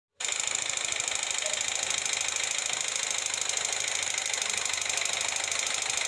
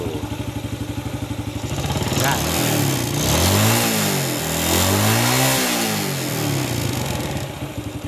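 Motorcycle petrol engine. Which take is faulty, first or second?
first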